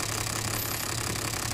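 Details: Toyota Land Cruiser diesel shaking at idle: uneven, lumpy idle with stumbling beat; one injector shows no fuel delivery when its line is opened, causing a dead cylinder; diesel misfire.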